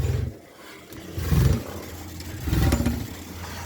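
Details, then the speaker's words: 1911 International 20hp tractor, cold start on choke with ignition on and needle set: slow, heavy exhaust chuffs about a second apart as it draws fuel, catches and keeps firing; a clean normal start. "Now watch, I'll hold the phone, one arm. Okay, you can hear it draw the fuel."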